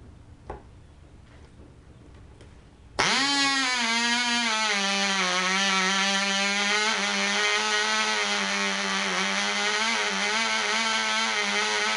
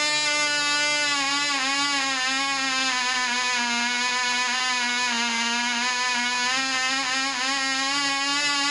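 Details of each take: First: Black Widow mouse racer glow engine, first test run, 24% nitromethane, 5x3 prop, high-compression head, needle at three turns: fires sharply into a high, slightly wavering scream that never settles; deliberately run rich. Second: Black Widow mouse-racer glow engine, high-compression head, 5x3 prop, 24% nitromethane, later run after loose screws likely foaming fuel were fixed: high, steady buzzing note, slight pitch waver, about twice as loud, prop wind audible; running properly.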